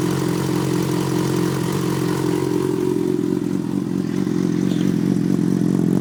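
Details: Yamaha FZ6 motorcycle idling with a light, steady ticking of about four ticks a second over the exhaust note; owner wonders whether it is the normal ticking FZ6s are known for, cause not confirmed.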